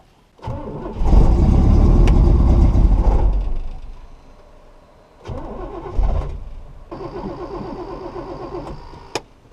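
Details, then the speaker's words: 1969 Buick Special Deluxe that won't keep running despite carburetor rebuilds, timing, idle mixture, fuel filter and vacuum line work: catches and runs rough about three seconds, sags and dies, refires weakly and fades; suspected fuel starvation, perhaps varnished carburetor. "Still not getting enough gas. Keeps starving out."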